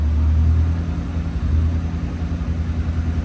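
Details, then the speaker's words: Honda Civic EG hatch after an engine swap, first start in years, out of gear with a check engine light for the O2 sensor. Deep, steady open-pipe rumble with an even beat and no misses or knocks; a smooth, normal idle. "Damn. I haven't heard this engine turn on in years."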